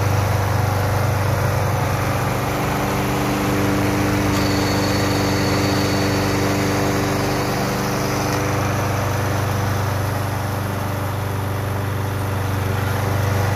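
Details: Toro Super Recycler GTS 6.0 self-propelled mower after complete gear drive rebuild for grinding/slipping: steady even engine drone, no grinding or slipping from the drive; fixed.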